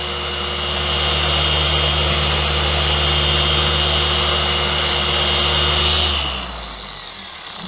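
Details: Dual-action polisher, chest-worn microphone: steady, even motor whir with a bright high hum, spinning down smoothly near the end.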